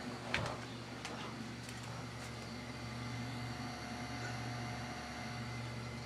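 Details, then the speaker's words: Newly installed Taco boiler circulator for the basement zone, replacing a leaking mid-1970s GE pump. After one relay click only a faint, steady low hum remains, barely above room noise: the circulator runs quietly and normally. "it makes almost more no more noise than just ambient noise of anything else"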